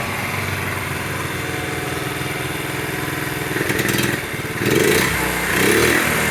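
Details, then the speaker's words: 1975 Honda Z50A after full top-end refresh (new piston, rings, cylinder, refreshed head), first kick with partial choke, carb unadjusted: quick even single-cylinder putter, a few blips and slight stumble; running well. "I stumbled a little bit there, but hey, not too bad for not even adjusting the carb."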